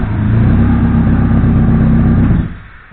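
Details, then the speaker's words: War Corsair engine after new crank sensor installed and timing verified: deep, loud, steady rumble with even firing, no stumbling, clean wind-down at shutoff; starts and runs properly. "that's what it's supposed to do, folks. I am completely happy with that."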